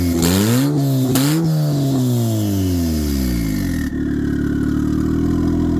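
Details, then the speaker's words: Turbocharged 1996-99 EK Honda Civic after alternator replacement: a couple of quick revs, then a steady, even idle with no knocks, squeals or misses; no longer bogging down as when the old alternator drained the battery. "Car sounds beautiful. It's not breaking down like before."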